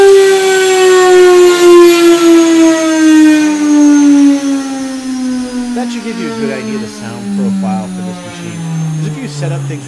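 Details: CNCDepot S30c 2.2 kW ATC spindle, ceramic bearings, 24k rpm max, on a CNCRouterParts Pro 4896 router, running down: clean high electric whine dropping smoothly in pitch as it slows, no grinding or rough bearing noise; normal healthy spindle.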